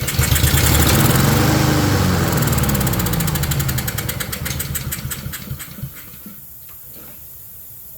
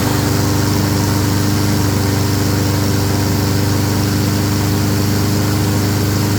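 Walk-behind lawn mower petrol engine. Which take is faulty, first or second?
first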